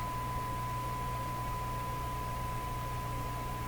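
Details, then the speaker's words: Stromberg Carlson Model 552 radio, RF alignment on broadcast band with generator at 600, adjusting a trimmer that had come loose: steady test tone over low hum at subdued level, weak while off peak. "hear it getting quieter here at getting louder clearly that's a lot better there"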